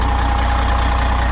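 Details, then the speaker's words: White GMC diesel truck with tag axle, finally running after three days of trouble and moved: steady, even low rumble with no knocks or misses. Owner says idle's okay. Normal diesel idle; brakes still need work. "but hey at least it's moved it's running don't sound bad for what it is idle's okay"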